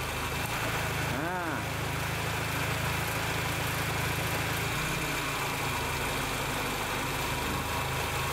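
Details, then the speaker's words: Honda Accord Maestro with idle set to 800 rpm, after fitting an NE555 delay relay on the AC compressor clutch to stop rpm drop with AC on: even idle holds speed as the compressor engages, lifting only slightly; normal idle with AC on. "well that's right .. it's nice to hear it sounds good huh .. he didn't go down first .. but he just went up a little like that .."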